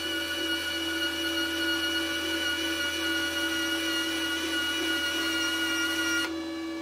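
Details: Parkside PMSG 200 A1 MIG welder wire feed motor, triggered from the torch button, feeding wire through the torch. Even high motor whine at steady pitch, then abrupt cutoff; feed motor runs smoothly.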